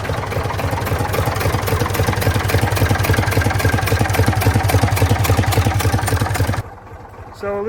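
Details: Previously seized Ford 4000 diesel tractor, now running: heavy, low diesel clatter with a steady knock about three or four per second. Owner finds it a bit noisy but is unsure whether that's normal for a Ford 4000.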